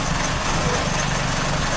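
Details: 2004 Chrysler PT Cruiser at idle after new plugs, wires and sensor and vacuum-leak fixes: uneven, stumbling idle with an irregular beat, still missing with knocking heard; timing belt suspected out of time.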